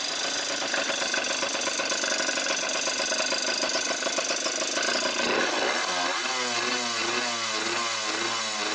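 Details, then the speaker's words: Suzuki RMX 50 two-stroke after fitting new exhaust pipe and muffler: crisp buzzy even note settling to a steady lower idle; sound level meter shows no difference between pipes; sounds healthy. "Okay, well here I have the sound level meter in place, and I'm not seeing any difference with one sound pipe or another."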